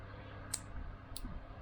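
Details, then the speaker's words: 1969 MGB being recommissioned after dry storage since 2001, ignition spark test: two sharp, crisp snaps about half a second apart across the tester gap. A bad earth to the distributor body was fixed, giving a strong, healthy spark. "there we go bad Earth to the distributor body so we're getting a nice big healthy spark there"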